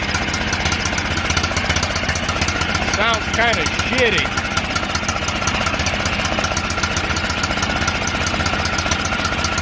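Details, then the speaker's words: John Deere L108 lawn tractor, sat about a year, after fuel in system and freeing stuck throttle, at high throttle: small single-cylinder engine runs steady and even, no misfires or knocks — normal running. "Sounds like she's running strong now."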